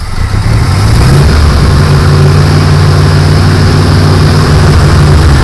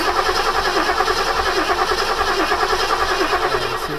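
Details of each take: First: Ford 1972 Gran Torino 351C, not run since November 2021, new starter fitted, after more gas was poured down the carburetor: it fires and runs at a steady, fairly even low throb for several seconds, normal running. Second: 1972 Ford Gran Torino 351C, last run November 2021, on a newly fitted remanufactured starter: starter spins the engine in a steady, even churning rhythm but it never fires; crank no start, owner suspects lack of fuel.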